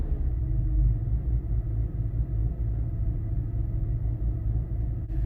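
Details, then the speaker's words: BMW M3 with the service engine light on, idling after a shop claimed its misfire was fixed: a deep, lumpy, uneven idle that sounds cammed. It is still misfiring at idle and low RPM, worse after the initial start. "Yeah, not a smooth idle. You can kind of hear it. It almost sounds like it's, you know, cammed or something, but it's not supposed to sound like this."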